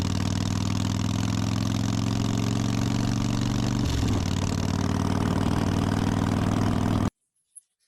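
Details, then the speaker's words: Carbureted Harley Softail V-twin at even, steady idle after the dirty enricher circuit was cleaned and the original intermediate jet refitted; earlier missing or fuel starvation cured, runs cleanly with no misses before shutdown. "put back in the intermediate jet that I had in there originally, and what do you know? Ran great. No issues, no problem solved."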